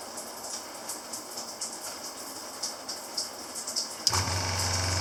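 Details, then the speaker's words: Shurflo motorhome water pump, with strainer and small pressure tank, in an off-grid house while the shower runs at low pressure: water hiss, then a steady low motor hum kicks in and holds even. Normal pump operation. "So the pump is a shur-flo. It's a shur-flo pump made for a motorhome, is what it's made for."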